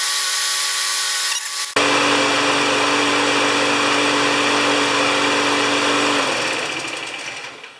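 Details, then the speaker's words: Free non-running lawn mower after a spark plug change (the old plug showed a white, lean tip and it had a slight miss): catches and holds a steady, even run for several seconds; now runs better, with no misses or surging. "Alright, it does seem to run better."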